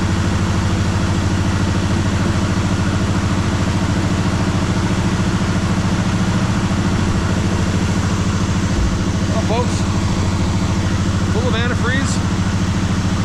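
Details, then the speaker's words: 1973 Malibu V8 donor car on its first start after about 25 years sitting, with fresh gas and full antifreeze: loud, lumpy idle with popping misfires as cylinders catch one at a time and clean up. "It's uh as you can hear, it's uh popping and squeezing, cleaning up one cylinder at a time."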